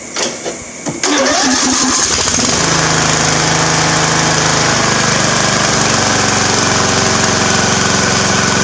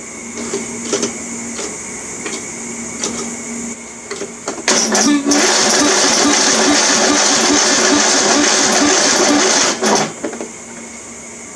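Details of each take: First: Free Craftsman riding mower engine after oil change; cranks briefly, fires at about one second, then settles into a loud, steady, even run with no misses or knocks, runs great. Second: Craftsman riding mower engine being revived, cranking attempt: slow, laboured cranking with no firing; starter afterward hot and hard to spin, needs rebuilding; sluggish starter cranking.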